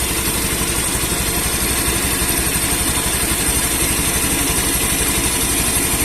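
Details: Honda Beat eSP scooter that stalled suddenly with code 52, caused by a wire touching ground, after the wire was insulated: the engine holds an even, steady idle with a regular beat and no stumbling or cutting out.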